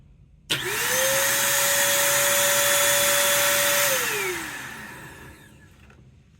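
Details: Bissell 3-in-1 turbo vacuum foot, brush roll motor RS-380SH with factory-misground brushes, running after sanding: motor whines up to a steady tone for about three seconds, then pitch sags and coasts down; brush motor cutting out.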